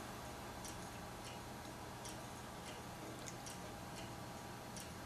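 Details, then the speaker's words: Failing hard drive connected through a USB2-to-SATA cable for data recovery after a power cut, making sharp repeating clicks about every half second and not transferring files: the classic click of death. "no it's making the clique of death hopefully you guys can hear that for a minute - not transferring anything"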